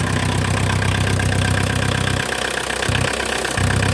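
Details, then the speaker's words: VW Mk2 Golf 1.6 diesel, freshly installed engine, first start cold without choke: steady heavy clatter about four beats per second, extra noisy because a tube going down into the engine is missing; to be replaced. "I do need to get a new tube that goes down there. It is a bit noisy without it, so I will get a new one."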